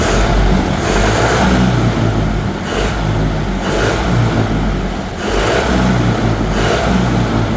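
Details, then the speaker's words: Collector car running after fitting a new fuel pump, filter and shutoff setup: repeated throttle blips rising and falling cleanly with crisp, quick response and no stumble; engine pulling and revving healthily. "So as you can see, very responsive. We hit the gas and it just honks, you know, so I couldn't be happier with the way that turned out."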